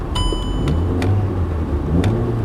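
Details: 2010 VW Golf Mk6 1.4 TSI petrol, just started with engine warning light on: steady low idle rumble with an even beat and a few light ticks on top; sounds healthy, normal idle.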